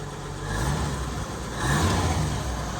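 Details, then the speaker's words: 1959 Chevy 235 six-cylinder after tune-up, run cold from a temporary fuel jug: smooth even hum at raised idle on the choke's high cam with a slight swell in revs; normal fast idle. "Still on the high cam with the choke."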